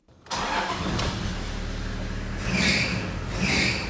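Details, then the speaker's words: Toyota engine cranks and catches, then a high, warbling squeal rises in loud bursts over the idle: an accessory V-belt that is loose and slipping. "in case you didn't recognize that noise that was one of my accessory belts squealing because it's loose and slipping"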